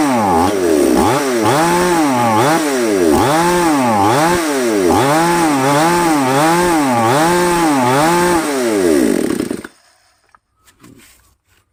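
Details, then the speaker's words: Chainsaw (5200 class), as received, broken choke linkage, compression about 70–80%, new spark plug: revs up and down in quick bursts then suddenly cuts dead; stalling under throttle. "เพราะว่าตอนนี้คือสตาร์ทติดครับติดแล้วเร่งไปแป๊บนึงก็วูบวูบดับไปเลยประมาณนั้น"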